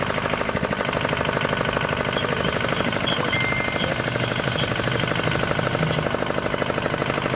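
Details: D10 R190 single-cylinder diesel at idle, brought in for hard starting and a horn-like chirping noise behind the rear cover; two bolts on top tightened, now starts easily. Steady even thumping, about three firings a second, no misses.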